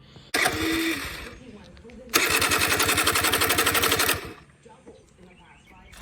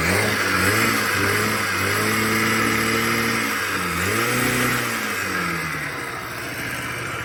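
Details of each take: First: Honda Spree two-stroke scooter (1986 frame, 1985 motor, 1987 head, Chinese knockoff carb) that fires then dies and won't restart. Two short bursts of choked, uneven popping that sputter out; owner believes the exhaust muffler is plugged. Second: Honda Spree two-stroke scooter (1986 frame, 1985 motor, 1987 head) after replacing its plugged muffler with a known good one, known good carb. Revs up and drops back with a crisp, even buzz, returning smoothly to idle; fixed.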